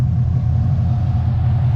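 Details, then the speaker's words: LS-swapped Nissan 350Z, first start after completing the build with intake refitted and fuel issue resolved: deep, steady low rumble with even firing, no misses or knocks; engine finally revs cleanly and runs properly. "finally sounds good finally looks good it finally revs"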